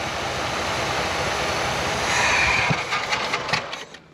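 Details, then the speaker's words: '68 Oldsmobile with gas poured down the carburetor: ragged uneven firing catches for a few seconds, nearly self-sustaining, then fades and stops; no steady fuel supply yet. ">> Sound like she's running on her own there. >> Almost. Huh. She was close."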